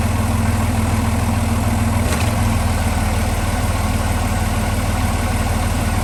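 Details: Marine diesel idling, then a sharp clunk as the Velvet Drive marine transmission goes into gear; owner investigating; past cause was a loose spline on the coupling's front part into the transmission; engine mounts also old.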